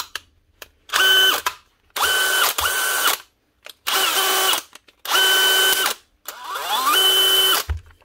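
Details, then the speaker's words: Dewalt DCD996 drill whose motor had jammed because the fan melted onto the gearbox cover, after repair (dismantled, melted bits cleaned, fan filed back): five even bursts of clean, steady high whine, crisp starts and stops, no grinding or catching; normal running. "One Dewalt DCD 996 with a jammed up motor because the fan melted onto the gearbox cover. Dismantle it, clean up the melted bits, file back the fan a little bit, and that's her, ready to go."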